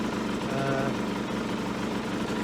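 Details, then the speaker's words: Aprilia small two-stroke on non-ethanol fuel, warming toward full operating temperature: steady, slightly quick even-beat tick-over at 1500 rpm versus the 1200–1400 spec; high idle, to be adjusted once fully warm, may drop on side stand. "does seem a bit ticking over. It's ticking over 1500. These should be ticking over about between 12 and 1,400."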